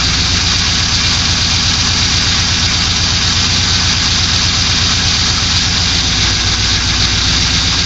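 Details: 2002 Pontiac Trans Am LS1 V8, just rebuilt, at idle: a fast, even tapping knock over a loud, hissy engine note; cause unknown.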